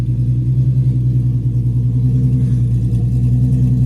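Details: Free Nissan 350Z V6, first start after replacing the fuel tank and lines and filling blank fuses, running briefly without the cooling system connected: steady low rumble with an even firing beat and no knocks or misses. Normal running at idle.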